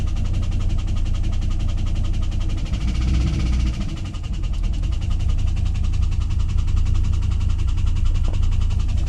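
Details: 2001 WS6 LS1 5.7L V8 idling after oil ran out (pressure to 0 when shifting), refilled: fast even tick over low rumble; earlier only at high rpm, cause unclear.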